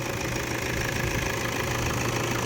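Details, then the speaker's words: 2010 Toyota Hilux Vigo Double Cab Prerunner 2.5 2KD VN Turbo diesel, manual, 198,000 km, fresh oil: steady, even idle with usual light clatter, no stumbles or hiccups; engine dry, no leaks, healthy. "เครื่องยนต์แห้งนะครับไม่เยิ้มครับเครื่องแห้งเครื่องแห้งเดินอ่าเดินนิ่งๆนะครับผมอ่าไม่มีการอ่ากระตุกสะอึกอะไรนะ"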